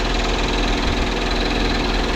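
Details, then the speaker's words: Metallic knocking over a loud low idle rumble, appearing after a gearbox/variator (CVT) replacement on a 200,000 km engine; tapping the starter reduced the rattle; starter gear striking the flywheel, starter to be swapped. "Я вчора постукав по стартеру воно стало менше воно тарабанило Ужас"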